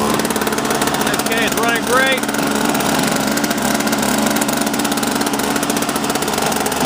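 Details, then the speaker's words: Toro Powerlite two-stroke snowblower after repairs (fuel system overhaul, fuel and primer lines, new carb fuel bowl, intake gaskets, spark plug, drive belt), restarted a few minutes after first start: steady even drone, no misses or surging. Normal running. "And all over the spinning fine. Looking great, no problem."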